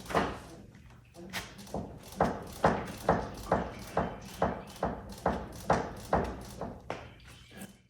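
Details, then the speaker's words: Audi R8 (2007-15) with coilovers after potholes, driver's side front shock worked by hand: sharp clunks about twice a second, same as heard over bumps; owner suspects internal shock failure, not confirmed. "about the same pitch and consistency that i heard as we're going over bumps and the only thing that i'm seeing that's going on is uh is this shock"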